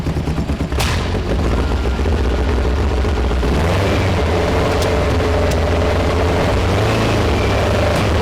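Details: 1973 VW Super Beetle with an air-cooled engine of about 1900 cc, 40 IDF carbs, erratic distributor: lumpy, uneven rumble with irregular thuds through the revs, missing on a cylinder on one side; valves or carb are suspected, not confirmed.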